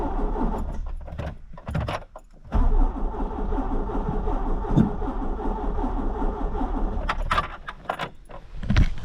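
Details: 1986 Peugeot 205, engine and gearbox integrated, test start during servicing: starter cranks several seconds in an even chug without catching, described as a bit temperamental, brake cleaner then tried; hard starting, long cranking, cause unknown.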